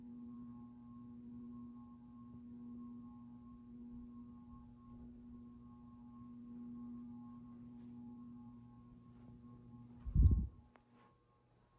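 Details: Craftmade CXL ceiling fan on a three-speed knob control described as a dimmer, turned down to low: loud steady electrical hum, ending with a click at switch-off; medium setting seems not to work.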